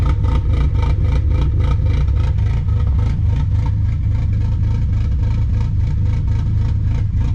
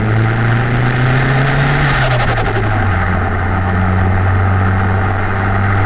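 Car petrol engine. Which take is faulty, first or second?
first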